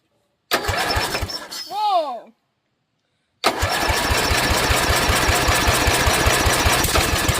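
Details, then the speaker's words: 12 HP Briggs & Stratton flathead after a sump gasket/PCV reseal and a carburetor clean, started on full choke: it cranks, catches and holds a steady, even thump with no misses, then revs to full throttle with no leaks. "John's running the controls. So, we're going to have him put the choke on good and crank it."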